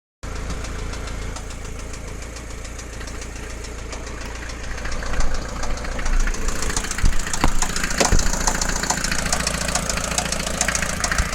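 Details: Mercedes Vito 108D 2.3 non-turbo diesel at idle, after a recent head gasket and piston rings, sometimes smoking: loud uneven knock over a low rumble, cause unknown.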